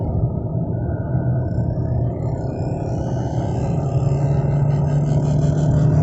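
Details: 2013 VW Golf 7 1.4 TSI Highline 103 kW manual, accelerating slowly in third gear: steady electric-sounding whirring rising just past 4,000 rpm; owner wonders whether lower engine mount or subframe bushes are the cause.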